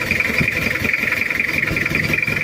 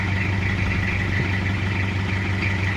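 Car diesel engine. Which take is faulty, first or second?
first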